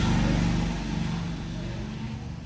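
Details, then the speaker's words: Fan that hummed but would not spin, after rewiring its connections: low steady hum settling evenly as the fan comes up to speed, no rubbing or clicking; fan runs normally after repair. "अभी भाग रहा है पंखा उधर मतलब connection ठीक हो गया पंखा भी ठीक हो गया"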